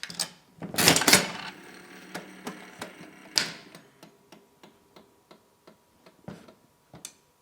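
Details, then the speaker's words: Vintage 5-cent Art Deco "Tot" slot machine: loud clatter of the pull, then light ticks slowing unevenly for several seconds as the middle reel keeps coasting; brake suspected not kicking in properly. "Eventually they'll stop. Sounds like the brake was not kicking in properly."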